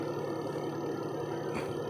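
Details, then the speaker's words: Single-tub spin dryer after adjusting the brake away from the brake drum/coupling (brake pad worn out): steady mid-pitched motor hum while the drum spins, with no scraping or rubbing; quiet, normal spin. "Yan, tahimik na mga kabuting-ting dahil yung kanyang brake ay talagang lumayo doon sa pinaka brake drum or doon sa coupling."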